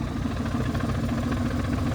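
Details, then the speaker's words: First drive after a 3-2-1 engine swap: engine idles steadily with a loud, pulsing clutch chatter over the low rumble; owner unsure why the clutch is so loud despite correct installation. "the clutch is so loud now. And I don't know why, but you can definitely hear that clutch chatter and crazy."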